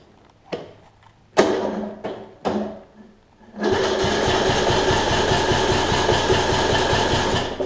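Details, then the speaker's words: Troy Bilt Bronco riding mower Briggs engine, valves out of adjustment, new battery: a few heavy halting starter strokes against compression, then steady even chug once past the first-revolution hump; hard cranking, owner suspects worn camshaft lobes, compression release still working. "it gets over that initial hump there it's fine tells me that the loads on the crank or they'll on the camshaft are worn"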